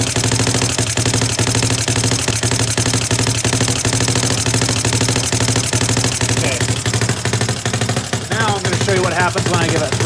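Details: CFMoto 250cc (172MM, GY6-type) single-cylinder after a head rebuild, new valves and a valve adjustment: starts and idles fine but thumps unevenly and sputters when throttle is opened; unchanged from before, so not a valve problem; cause unconfirmed.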